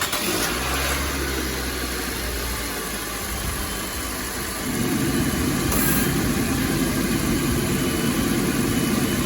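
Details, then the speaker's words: 2018 Nissan Versa at idle with AC on, after a new engine fan was fitted because the dead fan let AC high side pressure exceed 400 psi and slip the belt: steady idle, then a smooth even whoosh as the condenser fan kicks on, no squeal or rattle. "There it goes, it came on. Fan just kicked on. We'll watch our pressure."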